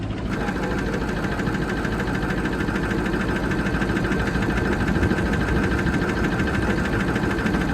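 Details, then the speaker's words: Ford 6.0 Powerstroke diesel, apparently stock ZF6 6-speed manual, likely ex-fleet truck, 155,000 miles: steady idle with slightly uneven lumpy beat and occasional stumble; slight misfire, injector suspected; no blow-by. "So yeah, there's a slight misfire in the engine, as you can hear. That's just the reason why we're buying it, because it's cheap, because it's got a misfire, and the owner's sick of messing with it."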